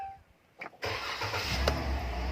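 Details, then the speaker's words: 2015 Dodge Ram after fixing no-crank, no-start, no-power fault with key stuck in ignition: fuel pump primes, short starter whir, engine catches promptly and settles into a steady, even idle; check engine, ABS, traction lights on afterward. "There we go, key in the ignition. All right, we got power to the dash. Perfect. We can hear the fuel pump priming. All the lights are on. And we're gonna crank it over."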